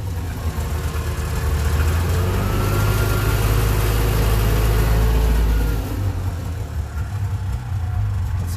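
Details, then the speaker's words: Subaru 360 van two-stroke on its first cold start after repairs to the choke, a new frame-mounted fuel pump and new ductwork. A low, ragged burble wavers and sags toward stalling and stays lit only with the choke held out; the charging surges and it smokes: a rough cold idle. "it'll stay running no i hold the choke out a little bit it will okay let's see the charging looks like it's surging a little bit"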